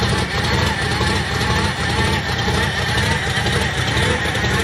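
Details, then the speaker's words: 1931 Ford 5-window coupe, first run in a few weeks, at idle with 5.5 psi running; a thin constant whine rides above the engine note. The owner suspects the power steering pump. "See, to me that sounds like power steering. It sounds like it's right here."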